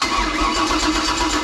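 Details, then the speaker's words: 496 big block Chevy on a run stand during break-in, after fixing oil pan issue: engine spins over briefly, fires promptly and settles into a smooth, even run without knocks or misses; normal start and run. "motor sounds really good and healthy"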